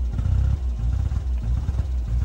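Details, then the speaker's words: Fiat 500 overheated and run until it stalled, melted plastic found: rough lumpy idle surging and sagging with stumbling beats, misfire with fluctuating idle and no throttle response. "So, we're going to diagnose it and have a look and see what's going on here because that misfire sounds bad. And also, we haven't got any throttle."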